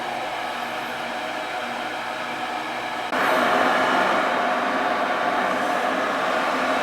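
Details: Ruud gas furnace that wouldn't fire up, now lighting while gas pressure is checked and the gas valve adjusted, set to 35: steady airy roar steps up and holds level as the burner lights; smooth, even operation.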